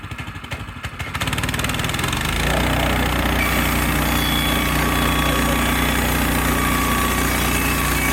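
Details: Frontier OS18 sawmill resawing red oak under load: engine catches then holds a steady even drone about 200 beats a minute as the blade cuts cleanly like butter; healthy.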